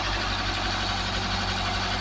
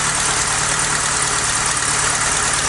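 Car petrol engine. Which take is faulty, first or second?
second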